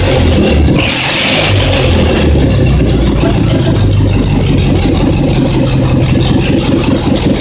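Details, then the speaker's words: Simplicity twin-cylinder engine, reassembled after earlier popping and misfiring when revved: it revs cleanly and evenly with no popping or misfiring under throttle. It now runs well, popping only on throttle lift-off; the owner guesses deposits burned out. "Just want to be a drama queen, I guess. Now she seems to be running good."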